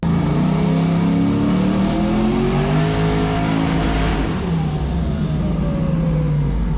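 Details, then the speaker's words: Turbocharged Foxbody Mustang on E85 on hub dyno, boost brought in later: hard pull with rising pitch, then note goes ragged and stumbles as boost builds; misfire judged boost-related despite new, tightly gapped plugs and new wires, cause unconfirmed. "so I brought the Boost in significantly later and then the problem started once the Boost rose up so it's 100 boost related"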